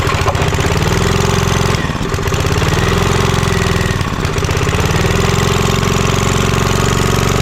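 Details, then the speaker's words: Vintage Homelite generator, probably late 1970s, stored for about 30 years and started after choke adjustment. The small single cylinder thumps along at an even, steady beat with two brief recovering dips, running healthy and quiet. "Oh, that sounds good. It's nice and quiet too. That is great."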